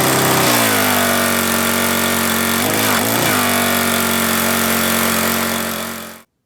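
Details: Troy-Bilt pressure washer with Briggs & Stratton single-cylinder engine, stored with fuel over winter, after troubleshooting, water hose connected: starts first pull and holds a steady, even drone about six seconds; healthy.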